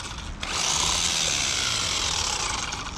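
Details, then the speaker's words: Kraton 1/14-scale RC truck at full throttle: high electric whine with a steady click about four times a second; bent driveshaft knocking as it turns, from over-driving. "i uh all right full rip now i do hear that clicking it kind of almost sounds like there's a piece of sand or piece of grit that may have got uh inside"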